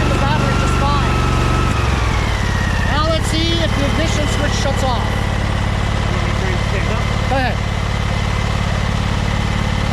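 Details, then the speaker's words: Husqvarna 2346XLS lawn tractor idling after the second ignition switch was removed and its wires joined, stator charging the battery: steady, even idle with a constant low drone and no knocks or stumbles; normal idle. "we'll find out right now while bill is starting the engine to see if it starts and shuts off while the engine's running i'm gonna test and see if it's charging"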